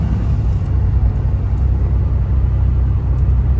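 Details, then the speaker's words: 1994 Chevy S10 Blazer 4.3 on its first drive after an upper intake rebuild, recorded inside the cab with the window up and engine temp still low: low, smooth, even rumble with no knocks or whine, quiet and healthy. "That's pretty nice. Pretty quiet."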